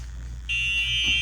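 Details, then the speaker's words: EZGO RXV 48-volt golf cart, key on in Run position, customer complaint of not running: faint low hum then steady high-pitched repeated beep warning, meaning the electric park brake is bad and needs replacing. "beep beep beep all right so what that means man uh no more tests needed for this what that means is the E bra is bad uh replace your e brake"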